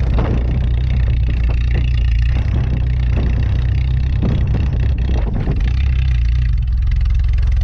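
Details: "Rescue" Tercel wagon (1983) cold start at about -6°F wind chill after sitting a couple of weeks; fires quickly and settles into a steady, smooth, tractor-like low idle; normal cold start and idle.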